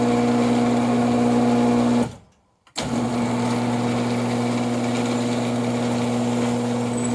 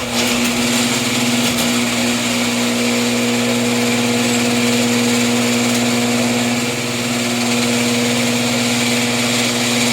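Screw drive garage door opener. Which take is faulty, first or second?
second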